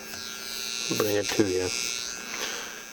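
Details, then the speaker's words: Scratch-built Hammond Leslie cabinet in a 16-space rack: steady low hum with a thin buzzing edge, unchanged throughout. Unplugging every input changes nothing, so the owner concludes the hum originates in the amplifier; not bad but unwanted. "you could sit here and unplug all of these and nothing changes that kind of tells me that it's originating from that amplifier it's still not that bad but I'd still like to get rid of it"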